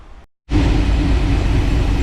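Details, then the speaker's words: 1962 Corvette, started after the ignition timing was dialed in with a timing light and handheld: catches after a brief gap and settles into a strong, even, steady rumble with no misses or knocks; healthy running. "guys as you can see we do have it fired up we did have to dial the ignition timing in we've got it pretty close now it's sounding actually really good"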